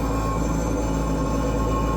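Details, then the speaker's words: 36-year-old Lennox G14 pulse gas furnace (LB-50527CC), not heating, trying to start: steady low gritty rumble from the purge fan, sounds labored; fan bearing suspected failing. "There's a purge fan inside of here. And I think it's the bearing is going out on it"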